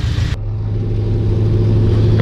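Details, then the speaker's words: H22-swapped Honda CRX with a newly installed axle, warmed up and on a gentle test drive: a steady, light-load engine drone with no clunks or grinding. The rotor dust shields can be heard. It drives normally. "As far as drivability wise, sounds normal. I can hear the dust shield on the rotors. Feels fine."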